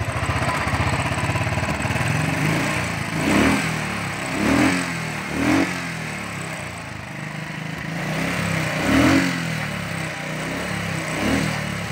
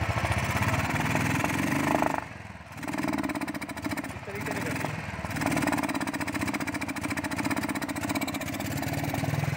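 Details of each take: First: Royal Enfield Thunderbird 350 after starting and misfire fix with throttle butterfly replaced: even single-cylinder thump, throttle blips picking up and settling smoothly; normal running. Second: Royal Enfield Thunderbird 350, recently serviced with new plugs and air filter, misfire persists: single-cylinder idle stumbles, dropping out twice in ten seconds; traced to the carburettor throttle butterfly, fixed by fitting a Bajaj Pulsar carburettor butterfly.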